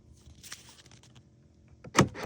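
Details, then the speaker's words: Truck with power windows and locks dead on one door, key on. The lock actuator gives a quick double clunk only while a chafed ground wire in the door harness is squeezed together. Otherwise nothing works: a broken ground wire. "So whenever I don't squeeze it and I hit it, it's not working. Nothing's working."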